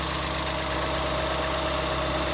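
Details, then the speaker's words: 2014 Ford Escape 1.6L four-cylinder at a smooth, steady idle after head gasket replacement, warmed up and test-driven, with an even hum and no ticking, knocking or misfire; runs remarkably well, normal idle. "Runs good. Drove it around, warmed it up a couple of times. Runs remarkably well."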